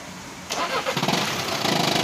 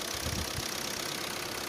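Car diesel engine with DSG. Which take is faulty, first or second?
first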